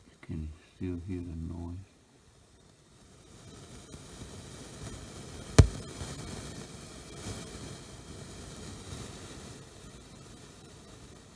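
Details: Yamaha C-2a preamplifier, tone control PCB: low hiss with crackle and a sharp pop in otherwise quiet output; static and popping noise, with transistors TR520/TR522 showing low emitter voltage (12.7 V).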